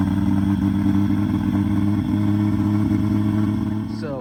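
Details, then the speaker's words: 1JZ-swapped BMW E36, first start in over 10 years, after ECU adjustments, constant fuel pressure and a new battery: settles into a steady, even, smooth idle with no misses. Running cleanly. "I am super stoked the car finally runs."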